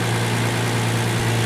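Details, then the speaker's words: 2007 Hyundai Entourage 3.8 V6 after a new MAF/IAT sensor (P0102, previous no-start): smooth, even steady idle with no stumbles or hunting, running for minutes; the problem appears fixed. "So it's the problem is fixed, I guess. It's staying on more than 30 seconds now. I'm thinking minutes right now. It's fixed."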